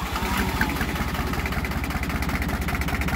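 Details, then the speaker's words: John Deere 1050 diesel tractor, 1600 hours, idling at about 300 rpm after a clogged crankcase vent tube was replaced: low, even chug with no misses or knocks, a smooth, healthy idle. "i mean just purrs like a damn kitten i mean this thing's island at like 300."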